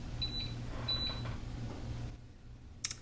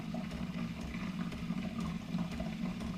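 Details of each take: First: Keurig Rivo R500 during latte froth priming: repeated short high beeps (three beeps instead of one) over a low hum, suggesting the frothing pitcher was not pushed in far enough; cause suspected, not confirmed. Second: Keurig Rivo R500 milk frother during first-use priming cycle: steady low hum with soft even gurgling water, no knocks or rattles; normal frother priming.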